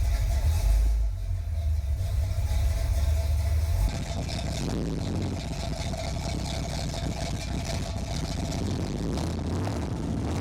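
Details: 1981 Chevy Corvette, brand-new V8 after overheating repairs: electric fan, insulated fuel line, new fuel filter and spacer. Heavy, steady low burble settling into an even idle after the start, with no knocks or misses. Normal idle.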